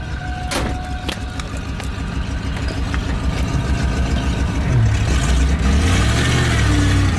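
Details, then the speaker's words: 1989 Ford Bronco, after new battery cables, warmed up and driving around the yard: a few clicks and knocks, then a deep engine note climbing cleanly with throttle, no stumble; normal throttle response. "Oh yeah, she's responsive, boys. I bet she'll deal with Donut."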